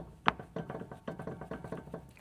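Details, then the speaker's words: Customer vehicle with brakes and calipers fine: dull clunks, about five a second, as the shaft is worked by hand on both sides, heard muffled in the cab as the suspension moves. Worn-out CV shafts. "And what that is is the CV shafts are just worn flat out."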